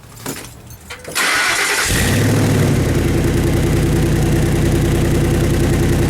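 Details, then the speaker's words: Truck with MagnaFlow dual side-exit exhaust: cranks and catches, then loud, raw, throbbing near-unmuffled idle; cracked joint at the muffler leaking exhaust, heard near the headers, before repair with an exhaust clamp. "so yeah from that last clip the exhaust is too loud right now it has that you know kind of like that rumbling like it you hear it coming right out of the headers which basically it is"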